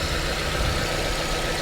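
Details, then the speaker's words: $300 salvage 1995 Nissan 200SX with distributor cap and leaking valve cover, idling on a ~100-degree day after misfiring. Now a fairly steady idle with slight unevenness and no clear skips; the occasional misfire seems to have settled; owner thinks it needs a tune-up. "and now it seems to be running fine again interesting okay so an occasional misfire I think this thing may need a tune-up"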